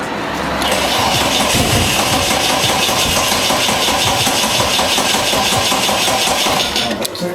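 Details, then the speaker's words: Barn-find Toyota AE92 Corolla Levin GTZ: engine catches, runs rough for several seconds, then fades and dies on its own; owner wonders about a clogged injector. "All right. You ready? Kill it. No, that died of its own accord that time."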